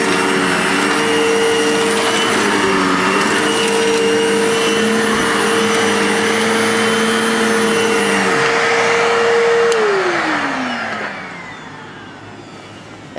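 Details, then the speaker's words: 2012 vacuum cleaner after new belt fitted, belt may not fit properly: steady high motor whine with wavering rough undertone and fast flutter, then spins down; sounds better than before but still not right. "it works and guess what i don't like that sound but it sounds better than it did sounds a lot better than it did"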